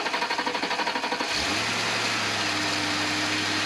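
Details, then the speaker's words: Ford Crown Victoria Police Interceptor with failed transmission, new Denso coils, NGK Platinum plugs and new battery, started in engine bay: cranks, catches to steady idle with odd whirring hum; startup noise cause unclear. "That noise does not give me a lot of trust in the reliability of this car right now. The engine itself is pretty good though."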